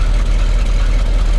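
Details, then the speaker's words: 1967 Ford F250 big block, first start in 30 years, factory muffler, not yet at temperature. An earlier clank on revving was a rat's nest in the bell housing, now removed. Deep, even loping idle with no knock; only a slight exhaust leak. "now quick fire he runs pretty smooth you got a slight exhaust leak other than that listen to that big block goodness"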